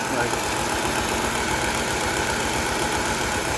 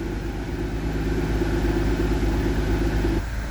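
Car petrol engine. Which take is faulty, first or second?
first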